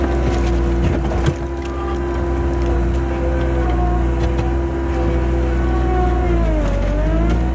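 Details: 1999 Bobcat 864 tracked skid steer digging with a rebuilt right-side drive motor replacing one that had grown weak and whined: smooth steady engine note, faint rising whine near the end; drive even and healthy.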